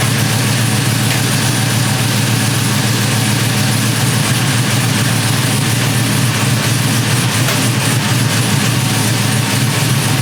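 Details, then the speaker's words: GMC 1500 single cab short bed after an engine swap, first start on a freshly flashed ECM tune, heard at the exhaust while warming, with good oil pressure. Loud, deep, lumpy chop of about 3.5 pulses a second. Normal cammed idle. "let's walk you around to the back so you can hear it chopping from the [Music] exhaust"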